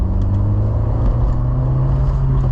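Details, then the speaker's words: Citroën Saxo VTS (90 hp), over 20 years old with over 200,000 km, accelerating: a deep, even engine drone pulling steadily with no knocks, rattles or misses; gearbox and clutch fine. Healthy, normal acceleration. "c'est une voiture qui a du peps et qui fonctionne encore super bien surtout pour les petits trajets"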